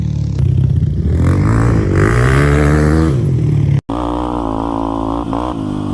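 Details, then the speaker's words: Honda 400EX quad after locked-engine rebuild and rejetting, ridden: single cylinder pulls cleanly up through the revs and back down, crisp even exhaust beat, no knocks or misses. Normal running under load. "I've R this thing around a bit and it's running good I got the jetting right"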